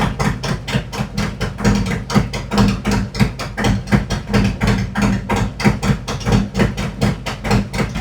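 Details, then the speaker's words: 2018 Harley-Davidson Road Glide, Milwaukee-Eight 114 that ran hot with poor mileage, after repair, Cycle-Rama CR480MT cam install and ThunderMax re-tune, started at 82°: even, clean loping idle at about four beats a second, no ticks or misses; sounds better each run. "Sounds much better. Sounds better every time. It's got more of a nice clean lope to it now."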